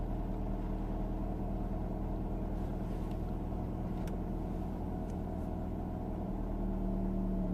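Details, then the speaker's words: Mercedes W124 E220 M111.960 just after oil and filter change (previously lost oil pressure, 1.5 to 0 bar, at operating temperature), cold: steady even slightly raised idle, no knocks or misses, pressure looks right; normal cold idle. "when pressure looks right and the RPMs should settle any minute now"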